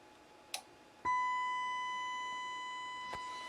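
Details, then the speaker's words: Pioneer SX-255R receiver on the bench with a test sine wave, probed at the pre-driver between R328 and R326: harsh, buzzy tone because the top half of the waveform is missing; half-wave clipping. "okay so we're still seeing it and you can see the top of the top of the sine wave is missing the bottom half is there"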